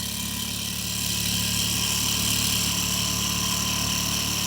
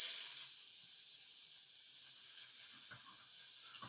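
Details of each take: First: Old Mamod toy steam roller, not run in decades, cleaned, oiled and new belts fitted, running in reverse on steam: steady fast even chuffing hum, smooth before stopping; runs cleanly. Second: Mamod toy steam roller, not run in decades, freshly cleaned and oiled, first steam-up: steam whistle jammed open, a shrill unbroken high whistle venting continuously while pressure builds.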